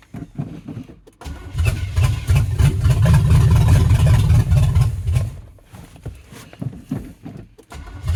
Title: 305 Chevy hard starting